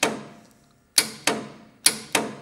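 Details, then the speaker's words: Willys Jeep vintage engine, starter wire removed to test: sharp single starter solenoid clicks each time the key switch turns and no cranking follows, showing the solenoid is working. "you can hear when a solenoid is working it'll click when you turn the key switch that's how you know the solenoid is working"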